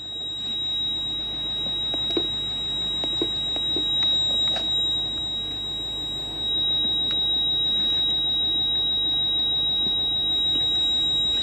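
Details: Toyota Crown Majesta 170-series (1UZ-FE V8) in the cabin with the engine running: a thin, steady high-pitched electronic beep over quiet ticks, with ABS, brake and VSC/TRAC warning lights on; ABS warning buzzer from low ABS pump pressure.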